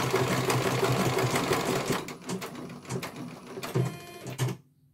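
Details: CNY computerized embroidery machine being serviced, whose dynamo motor earlier would not turn: quick even needle clatter about three stitches per second, steady rhythm with short pauses, then stops; stitching normally, one colour finished, judged very good.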